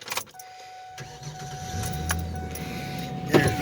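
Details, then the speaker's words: 2005 Ford Ranger, a $300 project truck with a newly fitted starter replacing the faulty old one; brief crank, then it catches cleanly into an even idle with no grinding or clicking, runs and drives well. "I mean, it runs and drives good."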